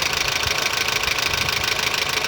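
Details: Honda Civic engine at idle; fast, even light ticking over steady idle, possibly valve train; another identical car with the same engine noise reportedly needed a part and gasket replaced. Engine ticking at idle.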